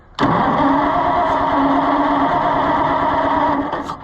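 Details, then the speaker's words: Oliver 880 tractor with a rebuilt carburetor, throttle wide open: starter turns the engine over at an even rate for about three seconds without catching; owner suspects no fuel is reaching it and the carburetor is garbage, unconfirmed. "it is not getting any fuel of any kind but I think that this carburetor is garbage so I mean how could it how could it get fuel"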